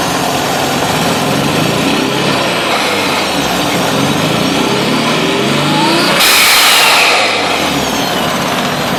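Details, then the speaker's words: RB20DET after an ECU change: the engine revs with a fluttering intake chuff as the throttle lifts, which is compressor surge. There is a cylinder 4/5 misfire despite swapped coils and harness, vacuum is low and the blow-off valve isn't opening; a vacuum problem is suspected and the turbo is known worn. "Definitely getting compressor surge. Yeah, not liking how it's running."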